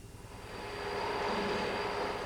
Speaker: you can hear what a badly fitted bearing sounds like and you can see the Ragged result